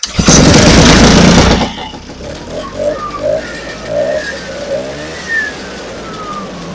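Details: Vintage two-stroke snowmobile, first start of season after repair, fuel filter replaced (old one's stripped stud wouldn't tighten): fires with a loud burst of revs, then drops to a light, even idle with no stumbling; running fine.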